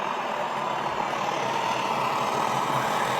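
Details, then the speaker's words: Backpacking liquid-fuel stove after preheat, pump not working perfectly: steady, even hissing roar with no sputter or surging; burner running properly with fuel flowing well. "But if you hear that, it's kind of making that sound. That's the sound that it's really moving."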